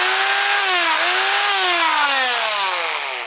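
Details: Electric drill running with a high motor whine that dips and recovers, with a scratchy, rough edge; abnormal noise while running, cause unclear.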